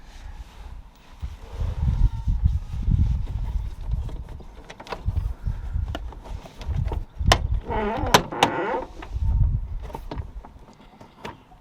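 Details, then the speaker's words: Mini Cooper R50, door being handled: drawn-out groaning creak as door swings, separate from handling clunks; dry door hinge needs greasing. "That noise there says hinge needs greasing."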